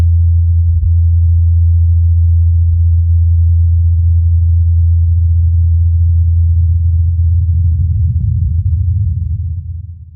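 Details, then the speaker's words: Ingenuity Mars helicopter on its fourth flight in Jezero crater, recorded by the Perseverance rover: a smooth, steady low hum of spinning blades at an even pitch, fading out. Healthy rotor in flight. "incredibly during the helicopter's fourth flight perseverance recorded the humming of the blades"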